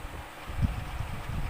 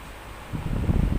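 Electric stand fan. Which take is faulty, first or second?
first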